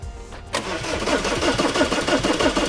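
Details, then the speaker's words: Diesel Audi Q5 towed in with starting problem, after replacing the fuel pump and its module: quick, even starter cranking at about five beats a second, not yet fired; afterwards it started and the problem was solved. "ఇప్పుడైతే మనం cranking చేసి చూద్దాం diesel వస్తుందో లేదో."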